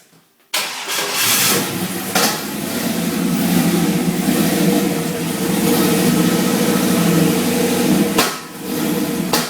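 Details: 1969 Camaro with LS1, head and cam, 36 lb injectors, new 102 mm throttle body and intake, not yet retuned, TPS at stock position; recorded at rear exhaust: lumpy idle with irregular pops and spits, likely lean. Exhaust popping at idle.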